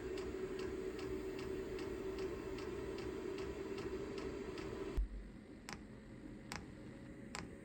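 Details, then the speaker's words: Chinese diesel heater (VEVOR controller) bench-tested before installation in a trailer, not primed first: sharp, even ticks about three a second over a low fan hum as the dosing pump starts pumping fuel; normal operation. "the fans running pumping yet usually takes a minute for it to start pumping oh that's pumping now"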